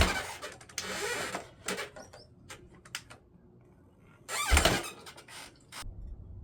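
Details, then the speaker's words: 1979 Honda XR500 single-cylinder four-stroke, freshly rebuilt after 10 years stored, choke on, first start attempt: several scuffing kick strokes, then one sharp loud pop as it tries to fire; backfire when kickstarting. "And Judy up in the tree. Judy choke is on. All right. Let's see. Whoa. Is that a backfire?"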